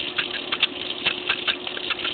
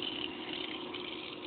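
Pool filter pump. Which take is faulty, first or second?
first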